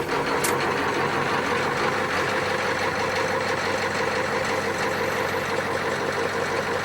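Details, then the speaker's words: 1994 Ford F350 7.3L IDI diesel, nearly 25 years old, fresh glow plugs, starting well: loud rough idle with hard knocking about three beats a second; severe blowby into crankcase, oil leak; shop suspects cracked piston or bad rings. "I don't know he can pick up that kind of bang bang bang bang bang bang bang quite"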